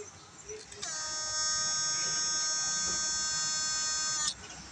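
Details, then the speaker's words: Thai GM8999 transformer (low output, switch fails often) measuring 125 V with a bulb load, before replacing the 2 µF capacitor with a 104: steady even high-pitched buzz, normal transformer sound. "ก่อนเปลี่ยนนะครับฟังเสียงนะครับเสียงแบบนี้นะครับ"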